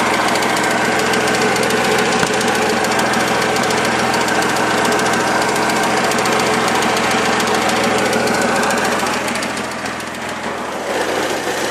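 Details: Mitsubishi 3000GT petrol engine, freshly rebuilt, idles with a steady, fairly regular ticking of about three to four ticks a second.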